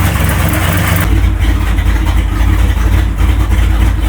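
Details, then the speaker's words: Truck's first start after about 30 years sitting: deep, steady, even V8 rumble through a loud open exhaust, no knocks or misses; oil pressure, water temp and voltage gauges reading fine; healthy idle. "This thing is so loud, I love it so much."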